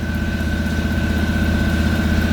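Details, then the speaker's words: 1989 Ford Bronco just jump-started on new battery cables: fast, even rumble with a thin whine, idling well above normal; it later sputters and leaks fuel. "You wanna idle high? You can idle high. Just don't die on me."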